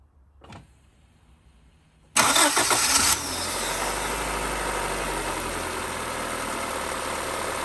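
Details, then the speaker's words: 1991 Honda Civic hatchback, 302,000 miles, sat nearly a decade, after valve adjustment: short crank, fires at once, smooth even idle, almost no noise except some belt noise from an old, loose timing belt. "look at that almost no noise 302 000 miles just hear some belt noise from over here it's not the original timing belt but it's an old one other than that it's running good"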